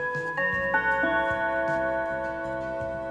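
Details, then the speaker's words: 1950s Junghans mantel clock with a W200 movement, tested before repair by spinning the minute hand: clear Westminster melody on four gong rods with long, even sustain, a beautiful tone, chimes healthy. "allright that's the sound it makes beautiful tone on the melody"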